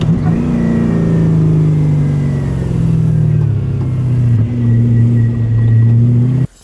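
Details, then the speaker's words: V8-swapped Mazda Miata on a test drive after the axle was replaced and the diff refilled: a smooth engine pull that rises and settles with speed, with no whine, clunk or growl, and the earlier drivetrain noise is gone. "okay we're going to take it for a spin to see try to hear maybe what's making that noise okay it looks like the sound is gone"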